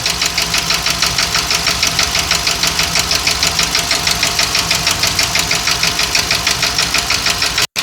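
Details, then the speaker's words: 2020 Ford F53/F59 motorhome chassis, 7.3 V8 gasoline, running at idle during power balance test: loud sharp tapping/knocking about three times a second that started suddenly while driving; P0301 misfire, cylinders 5 and 8 dropping about 20%. "Aquí aparentemente tiene misfire run, pero escuchen el motor. El motor está haciendo alarm noise, make a noise. Mucho ruido está haciendo"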